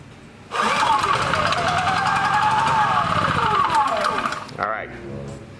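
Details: Honda EB3000c generator with oil alert switch yellow wire disconnected: pulls, fires and runs about four seconds at a steady note, then revs sag and it winds down to a stop; still shuts down.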